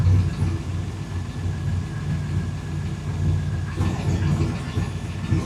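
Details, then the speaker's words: Fuel-injected El Caballero whose injection system has not yet learned. Steady smooth hum, but the idle sits about 1,000 rpm too high on the tach; a way to adjust it is still to be checked. "Yeah, that tack is about a thousand too high."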